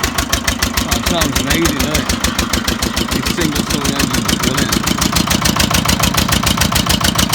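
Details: Old Winget one-ton dumper, long-stored single-cylinder Lister PH1 diesel: rough thudding at about three and a half beats a second with a breathy chuff each stroke. Owner suspects blow-by from badly worn rings; filters long neglected.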